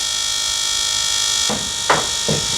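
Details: Built turbo LS 1974 Chevy Caprice after a fuel pump upgrade from a 360 LPH Aeromotive pump to a Holley 12-1800 twin pump: steady, even electric buzz at constant pitch with a few handling clunks late on; the pump runs normally, no fuel leaks.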